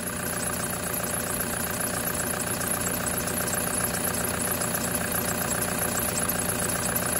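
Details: 2008 Prado 120, brand-new 1KD diesel with new injectors, stone cold at about 7°C, held near 2000 rpm: even clatter two or three a second under aftermarket Gates drive belt chirp; normal cold combustion knock.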